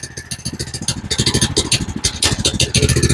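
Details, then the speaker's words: GoPowerSports Lifan 212 single-cylinder engine just rejetted from 0.28 to 0.36 jets (was too lean), completely cold on full choke; uneven lumpy firing with occasional stumbles; rough cold running on choke. "It's completely cold right now,"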